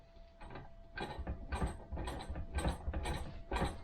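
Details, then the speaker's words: 1971 Triumph Stag "refurbished" gearbox, off car, shafts turned by hand: irregular clattering rattle in bursts about three a second through the gears, noisy bearings; first/second selector suspected of sticking, worn internals, unconfirmed. "rattling fourth gear rattling back into neutral right it did actually go back into neutral that time"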